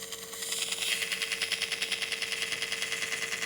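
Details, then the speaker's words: Tascam 38 half-inch 8-track reel-to-reel running before cleaning: a rhythmic scratchy swish about three times a second over a steady hum; a corroded, rough tape-path part is rubbing. "all the tape path has to be perfectly smooth and very clean so this is no good and especially if you run this thing actually this thing on you can actually hear it"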